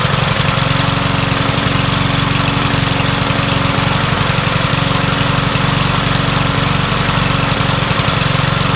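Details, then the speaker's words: Troy-Bilt 21-inch self-propelled mower salvaged from the dump, owner thinks it has a Kohler engine: the single-cylinder engine chugs at a steady speed but with a ragged, uneven beat. It runs rough, and the carburetor definitely needs cleaning. "okay so it runs not too smooth but it runs definitely going to need a carburetor to clean"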